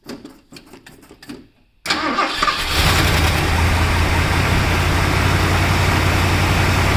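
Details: Freshly rebuilt 429 V8 in a 1968 Ford Thunderbird, cold start after sitting 4–5 days, about 30°F outside, headers under 50°: a few slow cranking beats, then catches and settles into steady even idle; exhaust and engine audible, normal cold start.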